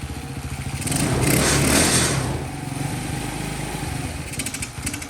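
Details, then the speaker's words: Newly bought Champion mini bike, single-cylinder, after fixing a no-spark fault: just started, warming up, putters along at a steady even pace and sounds healthy; idle may need turning up slightly. Normal running. "that's a nice sound I haven't heard for a while"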